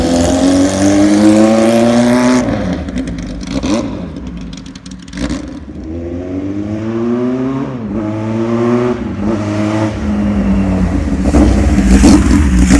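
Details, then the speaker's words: 1979 Kawasaki KZ1000 LTD four-cylinder in a 1974 Z1 chassis, long-stored, new plugs; crisp revs climbing and falling cleanly, no knock or rattle, crank sounds good; motor smokes a little, owner suspects rings. "but the crank sounds good everything sounds good"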